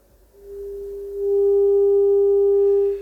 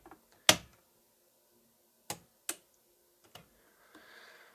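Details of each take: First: Telefunken Operette 6 Bluetooth module output, scoped, playing a 400 Hz test tone via Bluetooth: steady tone with faint raspy edge and overtones, slight distortion. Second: Telefunken Operette 6 radio power switch after repair: a few crisp single clicks in a quiet room, each press snapping cleanly home. Pressed fully down, even slowly, the switch now closes properly; normal switch operation.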